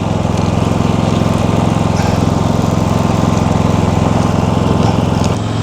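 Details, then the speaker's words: Predator 5000 generator, third replacement unit, zero hours, cover plate on: steady regular thrum about three pulses a second, no surging or knocks; quiet, no oil leaks, voltage good; running normally. "Okay, I got the uh 5,000 running. It's quiet. There's no oil leaks. Uh the voltage is good."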